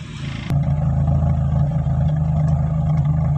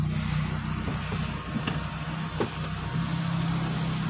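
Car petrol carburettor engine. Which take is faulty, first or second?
first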